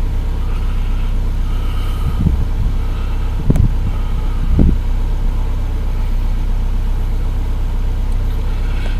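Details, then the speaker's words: Samand, after replacing the idle air control valve (previously hunting idle, stalling, hard starting): starts normally, revs fall from about 1500 to an even idle around 1000 rpm, no hunting or surging. "да как ни странно регулятор за 319 рублей работает но значит регулятор установлен машина с ним завелась нормально"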